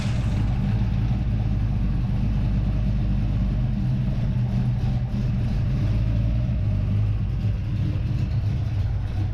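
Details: Craig's Mustang, cold start in the shop: a steady, even low rumble from the freshly started engine with no knocks, ticks or misses, settling into a smooth, healthy cold idle.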